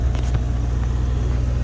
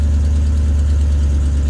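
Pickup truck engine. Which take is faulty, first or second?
second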